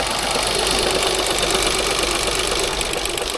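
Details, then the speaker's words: 2016 Range Rover Sport, crank no start, briefly running: loud, rough, uneven knocking about three per second in harsh clatter at idle. Compression on bank 1 only, crankshaft sensor code, one cam about 35° out; timing chain suspected. "Ooh, this sounds bad. Ooh. Oh, my phone's going to get messed up here. Sounds really bad."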